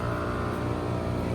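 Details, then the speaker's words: Home AC condenser after replacing the failed capacitor: the compressor kicks on and runs with a steady low, even hum, no knocks or rattles, and refrigerant flowing through the lines. "And I just heard the compressor come on. You can hear it as a distinct sound."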